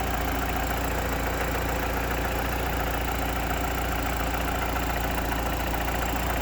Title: Evo 8 dead lifter tick.